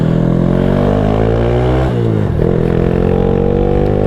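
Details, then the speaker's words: 2015 Honda Wave 125i bored to 143cc, nearly double stock power, aftermarket exhaust, 10,000 rpm limiter: single cylinder revs up and down with coarse, raspy, aggressive bark, harshest at lower rpm; lower rpm can be hit and miss until warm. "as you can hear this thing's pretty kind of raspy and raar and aggressive especially in the lower RPM"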